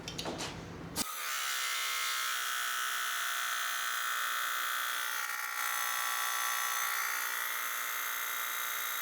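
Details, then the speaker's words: Rogue Fab tube bender, air-over-hydraulic, bending 1¾in 120-wall HREW tube to 45°, 30-gallon air compressor constantly running nearby: loud steady high-pitched buzzing whine after brief start clatter, running normally, before electric-over-hydraulic upgrade. "Okay, we hit 45°. Uh this thing's loud. You guys probably hear the air compressor running in the back. That's a uh 30-gal, so it constantly keeps running."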